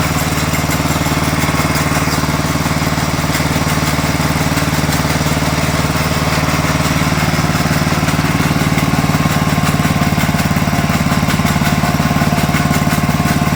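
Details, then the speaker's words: Sears Suburban 12 lawn tractor with a Tecumseh 12hp engine, barn-stored five or six years, first run: steady run with a regular slap about four times a second from the pulley, caused by chunks missing from the drive belt; a new belt is needed. "there was a heck of a noise out of the pulley over here we got a couple chunks out of our belt we'll have to get a new belt for this"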